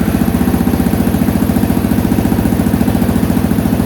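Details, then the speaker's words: Honda XL250R with swapped-in electric-start CBX250 engine, new carb and exhaust manifold fitted: even, steady single-cylinder idle about 214 pulses a minute, no misses or knocks; runs cleanly, no smoke, idle still needs adjusting. "Wow, that sounds pretty good to me. I'll just give it one more start. I need to adjust the idle, I think."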